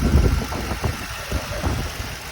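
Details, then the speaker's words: 2007 Ford Mustang GT V8 at a cold-start idle with a light, quick ticking over the rumble that stops after about five minutes of warm-up. The source is uncertain: the owner's online search suggested the intake, and the valvetrain is possible. "if you can hear that little ticking up I did some googling"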